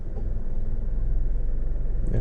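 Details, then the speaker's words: 2012 Nissan Rogue in gear, after induction service, throttle body and MAF cleaning: steady idle with A/C cycling on, rpm needle barely drops, no shake; major improvement over previous shake. "needle barely comes down now I'm gonna turn it off turn it back on major improvement"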